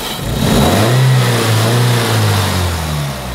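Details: 2002 Toyota Corolla 1.6 L, 81 kW, after a screw added to tension the rattling sheet metal: engine revs up and settles back with an even, smooth low note, no rattle or buzz; sounds healthy.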